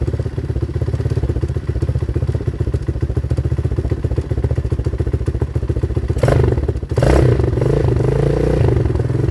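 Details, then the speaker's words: 2019 Hawk 250cc single-cylinder with a newly replaced carburetor, cold on choke: fast, even thumping at a deliberately raised idle, then a quick blip; idle to be set after warm-up, and the mixture screw may need adjustment. "we got to idle it up a little bit and then once it warms up we can set the idle because you cannot set the idle with a cold carburetor"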